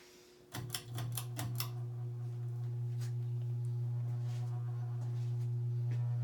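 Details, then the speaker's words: Circa-1985 Evergo 4E-6EALW 52-inch hugger ceiling fan, cast-iron 3-speed reversible motor, at start-up; loud, deep, steady hum with heavy vibration, likely because its rubber isolation bushings rotted away with age, leaving the motor bare metal; owner calls the vibration normal for this motor. "yeah this thing has a very ridiculous vibration to it when I'm runs and it's not an issue however it's actually normal nature of this particular motor to dis vibrate like this"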